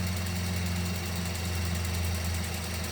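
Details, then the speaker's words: Mini Cooper at idle during a spark plug change: steady low idle with a faint fast uneven light tick that comes and goes; owner first suspects something loose, then attributes it to injector clicking – ticking at idle. "you hear that attack out of nowhere she's like right here and then she goes away hear that yeah i i i don't trust these engines i really don't we think something's loose in here the way it sounds"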